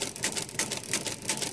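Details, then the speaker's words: Repaired Marchant XL mechanical pinwheel calculator, cranking to count up the accumulator: crisp evenly spaced clicks about three per second as it steps and carries; stop detent weak. Normal counting with carry. "now put one on here see you know I'm counting up one of my accumulator and that carries"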